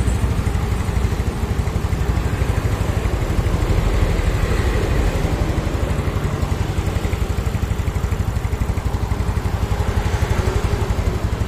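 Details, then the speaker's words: Yamaha Mio scooter single-cylinder after compression-loss repair (carbon-fouled leaking valves cleaned), restarted after seat refitted: even quick idle about four beats a second, no stumbles; exhaust leaks but engine runs smooth. Normal idle. "nalpotnya bocor untuk mesinnya halus ya"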